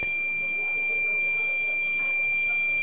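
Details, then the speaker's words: Microtek inverter, battery full at about 14.46 V DC, no LED indicators and no output, no oscillation: one continuous high-pitched buzzer tone; buzzer sounding with no output. "इसमें आप देखिए कि बजर बज रही है लेकिन कोई भी इंडिकेटर नहीं जल रही है और ना ही इसमें से कोई भी आउटपुट सप्लाई दे रही है।"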